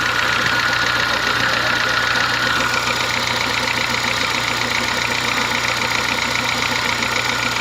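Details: Honda Fit gasoline engine at steady idle: fairly even light knock about four per second, diesel-like, compared to an old Kombi diesel or sewing machine; owner says it lessens once warm; cause not yet found, car at workshop.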